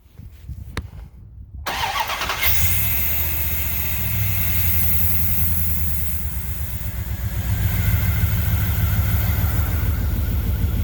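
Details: 1998 Dodge Durango single-cam engine, first start after timing chain replacement with an oil change, no codes: a short crank, then it catches and settles into a steady, even idle with no ticking or rattle from the front cover.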